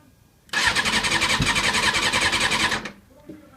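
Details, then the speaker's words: 2007 Kawasaki ZZR600, about 28,000 miles, died at a red light and now won't start despite a new battery and added Seafoam; with the choke pulled, the starter spins briskly and evenly for about two seconds but it never fires: crank, no start. "uh if I do pull the choke poor choke um let me try to start it you can hear it trying to kick but I don't know if you can exactly hear it"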